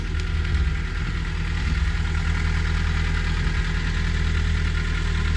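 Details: VW Golf Mk4 1.4 petrol after fuel filter replacement, running after an initial failed start: smooth, even low rumble at idle with no misses, knocks or ticks; no leaks seen, running normally.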